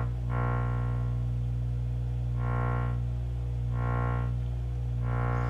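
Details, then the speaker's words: Miller & Kreisel V-2B subwoofer with distorted audio, at power-on before repair: a deep, steady 60 Hz mains hum that slowly swells and fades about once a second against a low test tone. The cause is failed main power-supply filter capacitors. "when i turn the power on listen to this it's definitely got a hum to it a 60 hertz hum"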